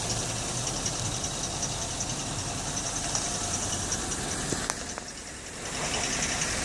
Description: 2010 Terrain (13,000 mi) metal on metal chirping noise. It begins once the vehicle has warmed up well. Progresses after being driven. Quiets upon acceleration.